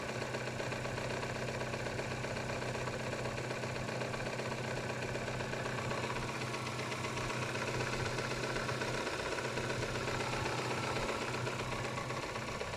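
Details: Kia Spectra 1.6 engine at steady idle with a regular tapping knock, about two to three per second, clear over the engine hum; the cause of the knock is unknown.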